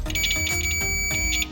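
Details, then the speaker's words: 1964 Baja Bug getting new weather pack plug wiring: the meter gives a steady high beep for about 1.5 seconds over background music, showing continuity on the blue and green wires, which are good; yellow later showed no continuity. "Okay, we got continuity there. Next one's going to be the green. Okay, green is good."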